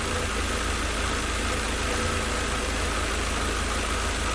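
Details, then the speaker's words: 1988 Mercedes 190E W201 after a valve stem seal replacement fixed no-start and misfiring: cold idle around 800–900 rpm, with an even hum that is slightly lumpy while warming up. It runs nicely but may need adjustments. "So it's running quite nicely. A little bit lumpy there, but I may need to run some adjustments considering all of this doesn't belong to the car. The revolutions are around 800 at the moment."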